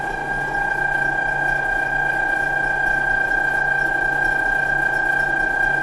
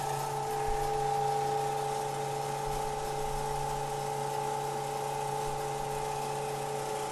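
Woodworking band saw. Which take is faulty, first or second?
first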